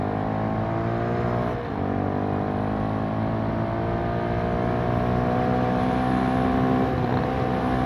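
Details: Kymco K-Pipe motorcycle with a 50-tooth rear sprocket, in 4th gear around 35 mph: steady high-pitched engine scream at a speed that should be calm; the oversized sprocket leaves it revving far too high.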